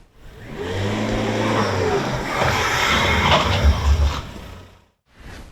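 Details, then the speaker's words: 2011 Volvo XC60 (P3) coming to a stop: harsh metallic grinding scrape builds as it slows, then fades; front brake pads and rotors worn out, due for replacement. "Then more than likely, my good people, you are due for a brake replacement, which is what we are going to be covering today."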